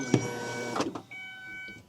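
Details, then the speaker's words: 2001 Ford Escape 2.0L after replacing the fuel pump and filter, key turned on for a leak check: a faint, even hum runs about a second and stops; the fuel pump primes normally, no leaks. "turn it on you can hear the fuel pump in there now yeah turn it off turn it on okay looks good to me don't see any leaks at all"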